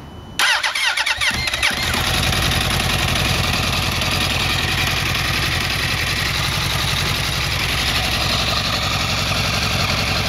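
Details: 2008 Yamaha R1 at cold start: starts quickly, then settles into a steady cold idle with a fast light tick over the engine note; cause not identified; engine ticking at cold start.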